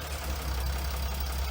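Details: Chrysler 300C 3.0 V6 diesel (Mercedes W211 engine) at idle: sharp light tick riding on each firing pulse from an injector that has come completely unseated and is leaking, visibly moving.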